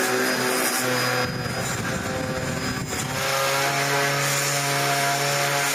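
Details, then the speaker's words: Dyson DC01 upright vacuum built June 1998 (about 25 years old), after fitting new replacement brush roll: high steady whine with rough buzzy chatter, a little noisier than before but no longer spitting out plastic. "I'm going to tell her and say I changed it, but it's a little bit noisier. See what she thinks. But it's not spitting out plastic anymore."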